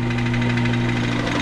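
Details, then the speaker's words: Ram ProMaster van idling, heard from underneath with the van raised: heavy rapid knocking about eight a second that sounds like rod knock but is a cracked torque converter flex plate. "you can hear the knocks pretty uh pretty substantial what this is gonna be though this is not gonna be a rod knock"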